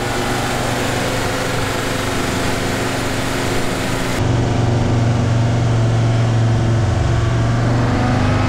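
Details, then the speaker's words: 1965 Unimog 404 diesel with a newly replaced gearbox, road test. Steady engine drone climbs into a firmer pull under load, with no whine, grind or clunk. It drives and shifts well. Normal running under load. "It drives good, it shifts good, so yeah, let's go for a test run."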